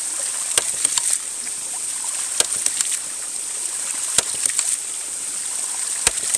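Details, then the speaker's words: Stainless steel ram pump after a high-pressure run near 56 on the gauge, with the discharge valve just opened; steady water rush with sharp valve clacks about every two seconds as odd noises fade; normal regular cycling. "now it's starting to sound more regular."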